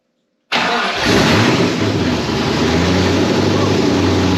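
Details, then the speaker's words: 1991 Mustang GT Foxbody, first start since 2000 on factory computer after fixing TFI wire and distributor: silence, then catches at once, flares and settles to steady slightly lumpy idle; timing still to set, possibly one tooth off. "Chuck, your car is alive. Unreal. And on the factory computer, boom, that thing just fired right up."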